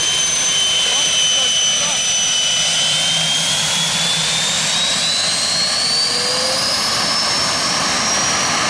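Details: Jet turbine truck, first start-up after winter, after cleaning a dirt-clogged fuel filter and adjusting the fuel pump: high steady whine rising smoothly with constant roar, no surging or sputter; normal clean turbine running.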